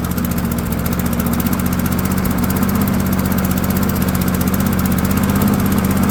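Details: Dynamark lawnmower with Briggs and Stratton engine, after a short-travel throttle linkage was bent back: even, steady single-cylinder chug with no misses or surging at constant speed. Normal running.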